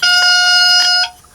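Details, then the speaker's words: Boat with a Yamaha outboard being revived after sitting for years: at switch-on, a single shrill, steady beep about a second long from the water-in-fuel sensor, its gauge pegged at the top indicating water detected; sensor to be replaced. "you're gonna hear a beeping when I turn this on and that's the uh fuel water sensor it's pegged out at the top when it goes to the top it detects water"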